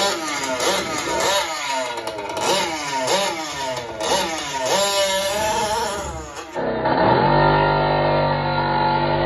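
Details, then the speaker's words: Fifth-scale RC car two-stroke engine during carburetor high-end needle tuning, held at full throttle: screams but keeps cutting out and stumbling in uneven surges; super lean condition, needle turned too far lean and had to be richened to save the engine. "right now listen to this right here that is a lean condition right there let me uh rewind it and play it again that is a that is a super lean condition right there"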